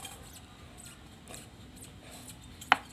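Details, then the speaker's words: Pickup truck drive shaft, cross universal joint twisted by hand: faint dry squeaks and chirps ending in a sharp click; joint is dry with no grease, its needle bearings failing, causing under-floor noise when pulling away in first gear. "ครับเสียงชัดเลยครับนี่นี่ครับมันฝืดครับเนี่ยอาการแบบนี้คือยอยมันเริ่มตายนะครับมันไม่มีจะรบีหล่อเลี้ยงแล้วมันก็จะได้ครับ"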